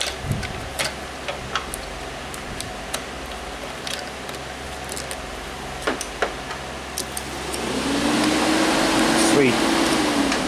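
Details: 2005 Chrysler Sebring after new cooling fans were installed; a shorted fan had blown the fuse, causing overheating. After a few quiet seconds the fan spins up on high speed to a strong, steady rush with no rattles or scraping; normal.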